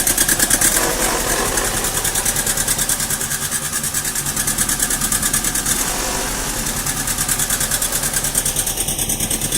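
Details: 2000 Mazda Protege idling roughly: the idle pulses about three times a second with an uneven, lumpy beat and loudness swings; cause not yet found.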